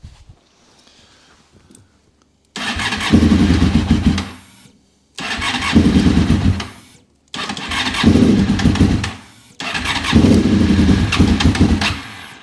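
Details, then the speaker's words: Honda RC45 RVF750 V4 after about 10 years of storage, won't ride and runs on 2 of 4 cylinders, shooting flames. Four rough, spluttering rev blips with exhaust popping: misfiring. Unburned fuel is smelled; spark plugs are suspected, unconfirmed. "as you can hear she's not that happy so she spits and puffs in the exhaust I think it's a lot of unburned fuel"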